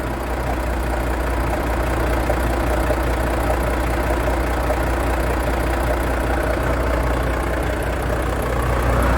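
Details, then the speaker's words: Volvo FH13 truck diesel idling with a loose, uneven knock and grinding from the valve cover area; valvetrain knock from a binding rocker arm and worn camshaft lobes. "так так всем привет сегодня у нас очередное варва проблемы со стука в моторе из района клапанной крышки сань какой-то посторонний звук ничего понять не могу"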